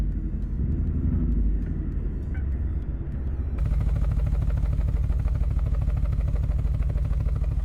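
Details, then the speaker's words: 2001 Subaru Impreza 2.5RS (GC8), no catalytic converters: heavy, lumpy exhaust rumble with uneven chug about three times a second, running on two cylinders; codes P0301 and P0302, cylinder 1 and 2 misfires; plugs and wires to be checked. "are new okay so we've got p301 and p302 cylinder one and two misfires so it is running on two cylinders"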